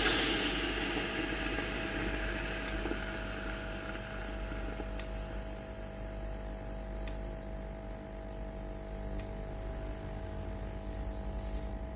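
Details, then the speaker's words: Philips GC7703 steam iron with no steam output, after water pump replacement, tested at max heat with the self-clean button held over 2 seconds: steady low electric buzz of the water pump running, short beeps about every two seconds; normal pump operation. "bouton au-dessus de 2 secondes Étapes pour le nettoyage automatique de la machine Le bruit de la pompe à eau qui fonctionne"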